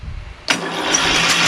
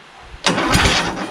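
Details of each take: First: Craftsman LT2000 / 20HP Kohler Courage repower cranking: brisk, even cranking with no firing. There was no spark until the magneto wire was disconnected, because the safety switch grounds the magneto and needs a bypass. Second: Craftsman LT2000 repowered with a 20HP Kohler Courage, starter fed straight from a jumper pack: about a second of steady starter whirring as it cranks, but the engine is tight; the starter was later found seized with the Bendix gear stuck extended.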